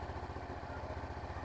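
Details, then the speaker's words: 2013 Honda Beat scooter after replacement of worn parts and fresh oil to cure a whistling engine whine: even, quick low putter at steady idle with no whistle, rattle or chain noise; smooth like stock. "dan sudah halus seperti standar dengan melakukan kemarin yaitu perbaikan perbaikan atau penggantian di laga dan kampretnya kemudian olinya"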